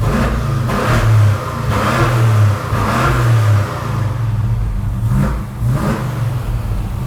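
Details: GM A-body muscle car with a 350 engine and Turbo 350 transmission: the V8 burbles, then blips up several times and drops back cleanly with crisp, even pulses and no miss or knock; sounds healthy.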